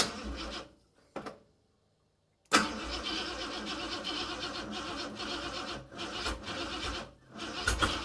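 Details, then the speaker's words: Car fitted with a used carburetor from the dump: the starter churns with a tired, uneven rhythm and the engine never fires. Cause: flooded carburetor plus weak batteries, with bad floats possible. "On top of the batteries not being that good, I definitely flooded the crap out of it."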